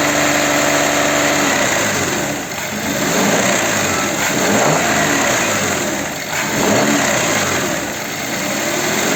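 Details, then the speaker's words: Audi Q7 3.6 FSI VR6 that rattled on throttle from a suspected timing chain, reassembled after repair and warm at about 88°. Smooth revs with no rattle, quiet running and only a faint exhaust leak hiss. "Как видите машина стоит уже стоит заведенная двигатель работает тихо слышно только как сифонит один глушитель где-то такой что-то пропускать это ну а так берите работает очень тихо"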